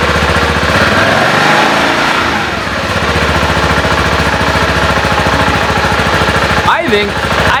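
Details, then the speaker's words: 2014 BMW G 650 GS single-cylinder at idle after a DIY valve adjustment (shims) done over a noise the owner had been hearing. An even, steady thumping idle with no ticking or misses; the owner says it idles better now. "tell it's idling better now that sounds like a German machine"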